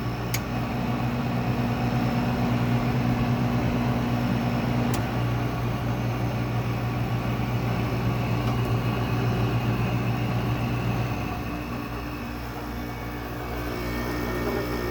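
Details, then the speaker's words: Older R22 window air conditioner (7.2 oz charge) no longer cooling as well: steady low hum with a faint, uneven chug about four times a second as the compressor strains to build pressure; owner suspects a compressor lubrication issue. "it's starting to build pressure. It's making that chugging sound. It's starting to get cool, but it's not getting cool enough to where it'd be ideal."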